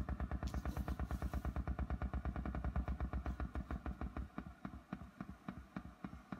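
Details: 1975 Fender Super Reverb tube amp (silverface converted to blackface), tremolo at slowest speed: sharp tick about three times a second pulsing through the low hum, keeping time with the tremolo.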